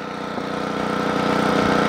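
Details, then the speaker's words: Generac 8838-0 generator running at partial choke: steady drone broken by sharp, isolated pops a second or so apart, RPM and voltage hunting up and down; plug is clean; intermittent popping, cause not found. "let's let's give it a try this switch is on here we go hear that popping pop pop pop pop pop pop that's what it was doing yesterday"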